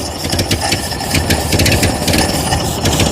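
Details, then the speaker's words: Ford 8N 6V tractor abandoned in storage about 8 years, first start on ether: uneven, stumbling, lumpy idle; owner thinks it runs on only two or three cylinders before it picks up; cause not confirmed. "it's running I only think it's running on like two or three cylinders but oh there she goes"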